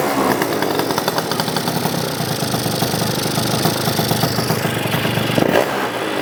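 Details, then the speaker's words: Yamaha BWS 100 two-stroke with Malossi 125cc kit, after rejetting for rich running: buzzy, crisp note revving cleanly with no gurgle or stumble; carburation now healthy, normal idle and revving. "Okay, you can hear that already sounds like 10 times better. There's no gurgling and everything, it's revving up quite cleanly."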